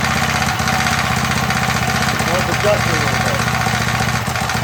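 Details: MTD edger with 3.5 hp Briggs engine that had been sitting non-running, after repair with RPM raised: steady single-cylinder thump at about four beats a second, even throughout with no misses or surging; running clean.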